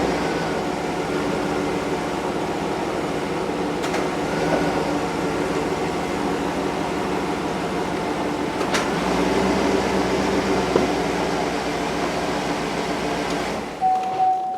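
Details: 2008 Chevy Suburban air ride suspension compressor after replacing the unit that rattled when running: even, steady whir with no rattle or clatter throughout; sounds smooth and healthy after repair.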